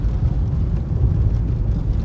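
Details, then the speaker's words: Nissan Leaf heard from the cabin on a concrete slab road, after refitting the original front strut mounts in place of aftermarket Kayaba ones: only an even tyre rumble over the joints, no front-end knocks or clunks; suspension sounds tight. "але ніяких таких стуків прям немає. Зараз розвернемось. Тупо як м'ячик надувний, катиться."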